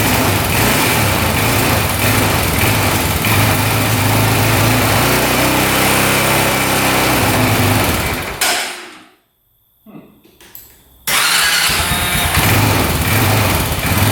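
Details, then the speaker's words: 2004 Honda 400EX single-cylinder quad, with new spark plug and brand-new carb, started on choke: loud rapping knock, revs fall away nearly dying then pick up, won't hold idle, no smoke; cause unconfirmed. "So far, no smoke, but it sounds like it's knocking pretty good, doesn't it? Doesn't sound the greatest. Um, and it's not idling or"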